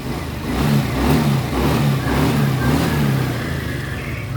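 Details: Honda Beat FI single-cylinder scooter after the wet spark plug was cleaned and refitted: it starts and runs with an uneven throttle rise and fall, no misfire or knock. The injector is faulty and must be replaced even though it is new.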